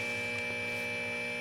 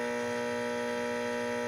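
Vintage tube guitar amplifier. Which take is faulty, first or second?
second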